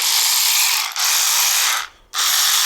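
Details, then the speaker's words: Aftermarket cordless power ratchet, about 4–5 years old and heavily used: harsh, high-pitched rattling grind in bursts with brief stalls; the worn head mechanism jams, sticks and sometimes stops turning. "Then after a while, the heads kind of fell apart. They would make this weird noise."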